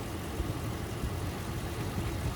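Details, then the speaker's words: Truck idling low with a lumpy, uneven stumble from a dead cylinder: a cylinder 6 misfire whose code returns once in drive under load. Owner suspected the coil pack, but replacing the spark plug and coil pack did not fix it. "So, I'm thinking that it's a coil pack, but we'll see. >> This is definitely running a little rough."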